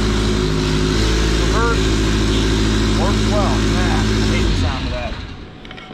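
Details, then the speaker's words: 2013 Fiat 500 Abarth, MultiAir engine, under 40,000 miles, wrecked in front but running: loud, raspy, blatty idle with coarse rumble and uneven pulse because the exhaust is sheared off up front and leaking straight out; exhaust leak. "the exhaust is sheared off up front so a little bit of redneck camaro white trash sound but i kind of like it"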